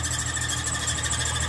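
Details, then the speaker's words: 2005 Ford Mustang V6 at idle; steady high-pitched chirping squeal over a smooth idle, suspected belt or pulley, and the noise went away when water was sprayed on the belt, pointing to a worn serpentine belt needing replacement. "sup guys do you hear that behind me this is the Copart Mustangs that I buy and made it home no problem and then so what we're gonna do is I suspect that it's either a pulley or the belt and we are going to check right now"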